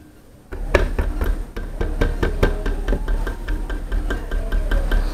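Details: Loose door mirror on a New Fiesta rattles on rough streets, heard inside the car: irregular sharp knocks and rattles over low road rumble; fix is removing the door rubber cover and tightening the mirror mount bolt.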